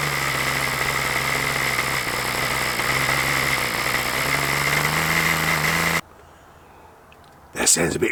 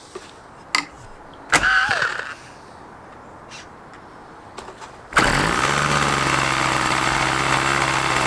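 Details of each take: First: OS LA40 nitro engine on a Balsa Max Thrust Trainer, first test run after eBay purchase: steady, slightly burbly high-pitched drone for six seconds then cutting out; the soft note suggests rich mixture, suspected not confirmed. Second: OS LA40 nitro glow engine in a Balsa Max Thrust Trainer RC plane, eBay purchase stored for months, first start; after handling it catches on one turn and holds a high steady buzz without misfiring, initially run a bit rich then leaned.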